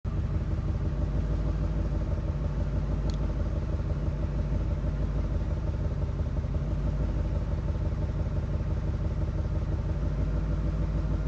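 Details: 2000 Ford F250 5.4 V8 idling with cylinder 5 misfire: deep, slightly uneven rumble stumbling now and then; spark plugs changed, misfire count previously around 500–700.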